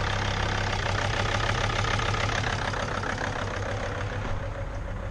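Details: T1N Mercedes Sprinter diesel, just started after sitting over a year: even idle with steady light clatter, no misses or knocks; engine running healthy, purring.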